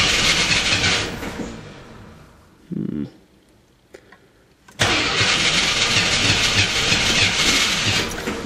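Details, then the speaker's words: AMC Eagle carbureted engine, cold windy day, new Optima battery, vac advance just moved from ported to manifold vacuum: long cranking with no catch, repeated attempt still won't fire. Owner suspects not enough choke; carburetor burping fuel out. "it's probably because i do not have enough choke let's want to start really bad it's just burping fuel out too that's not cool"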